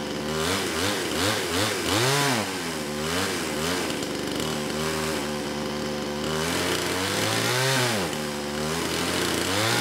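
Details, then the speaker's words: Kraftworld KW-5800 58cc Chinese chainsaw after repairs restored a fuel pulse, carburetor fitted, cover off: buzzing on choke, revving up and down in uneven surges but holding a steady run without dying; longest it has ever run. "I think that's the longest this saw has ever run"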